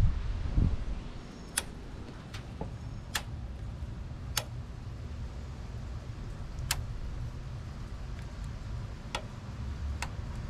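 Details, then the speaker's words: Mustang cooling fans, testing an aftermarket relay and hardwire switch on a 12 V signal: sharp, dry relay clicks at irregular intervals, no fan whir; the relay switches but the fuse was blown during testing. "the relay is clicking but the fans aren't turning on okay this took embarrassingly long to figure out but the fuse was blown that's why it wasn't turning on"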